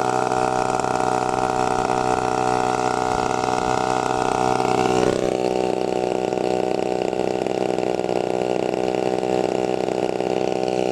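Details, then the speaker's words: TU 26 two-stroke engine on a converted RC trainer plane (186 cm span), just started, warming up before maiden flight: steady high buzz with a slight pitch step midway, running evenly; normal warm-up idle. "Oke, teman-teman. Kita akan memanaskan mesinnya karena baru saja dinyalakan, ya."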